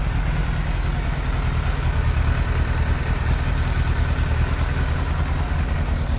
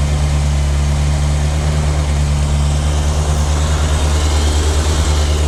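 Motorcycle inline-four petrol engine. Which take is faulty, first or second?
first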